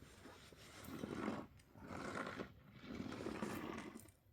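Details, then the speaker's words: Fish house trailer tire turned by hand during a wheel bearing repack: three slow swishing rushes as loose ice slides around inside the tire; ice confirmed once the bead was broken. "hear that? There's ice in there. Well, that's cool."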